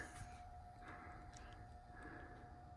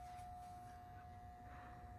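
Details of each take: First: Brand-new Schumacher MC1281 battery charger connected to a car battery: steady mid-pitched hum with a faint whine pulsing in slow, even "wow wow" waves instead of an even transformer hum; cause unknown. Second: Brand-new Schumacher MC1281 battery charger connected directly to a car battery, not on 30 amp boost; steady even hum at one pitch, no wavering or squeal; normal transformer sound, unlike the wavering whine heard otherwise.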